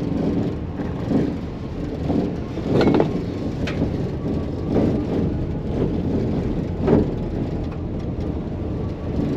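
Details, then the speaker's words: Maxus e-Deliver 7 L2H1 electric van on a cobblestone road test: irregular clunks and rattles about once a second from poorly fitted panels in the rear cargo area, cabin noise peaking up to 74 dB on bigger bumps. "tylna paka hałasuje tam gdzieś nies spasowane są elementy dobrze i bardzo mocno ten hałas się daje tutaj odczuć"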